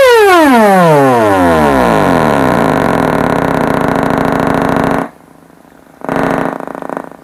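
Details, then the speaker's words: Kenwood 745 old-school amp on a bench test with possibly rusty connection points and a positive terminal that won't tighten properly: a clean tone sweeps down to a steady buzz, then crisp on-off pulses with no crackle or dropout, so normal output. "But anyways, instead of running it any further on the video, as you can hear, it is making a tone. It is making a pulse."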